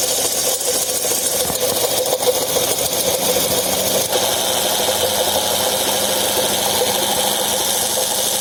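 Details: Second-generation Hyundai Getz, engine running with pulleys and belts turning: steady raspy grinding hiss from a malfunctioning AC compressor bearing.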